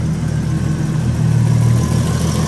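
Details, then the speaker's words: BMW E36 325i turbo, M50 six-cylinder, idling after oil smoking off the manifold was cleared: steady low hum with no ticking or clacking. Exhaust-line condensation is a normal M50 noise. "il a de la condensation dans la ligne forcément depuis le temps c'est un bruit normal de M50"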